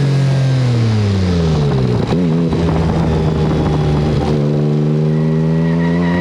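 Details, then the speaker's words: Turbo Mitsubishi Mirage-engined car on street tires, on low boost: revs climb then stumble and break up, won't rev, with little power. The owner suspects blown factory coil-on-plug coils, later replaced with Nissan R35 coils. Engine misfire under load. "it won't even rev with low boost you can hear in that footage when it does hit that point where it starts to break up it sounds to me like a twin"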